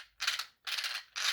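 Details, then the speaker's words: Redcat Volcano 16 mini monster truck with brushless conversion, 2S 1000mAh LiPo: short bursts of harsh high gritty whirring under throttle, loud motor mesh against the plastic spur; motor mount is non-adjustable, so mesh can't be set. "the major major flaw though is the motor mesh you can hear it already it's pretty loud and it's doesn't have a metal spur gear it's"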